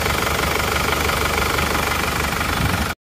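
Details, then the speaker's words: Isuzu Panther diesel before rebuild, smoke from the oil filler cap, lacking power: loud, rough clatter with an uneven chuffing beat at idle; mechanic judges compression leakage from worn piston rings or cylinder liners. "kondisi mesin yang seperti itu emang kalau menurut saya itu emang sudah positif itu adalah gejala kebocoran kompresi dipastikan itu sudah ada kausan ya baik reker atau linernya itu pasti ada"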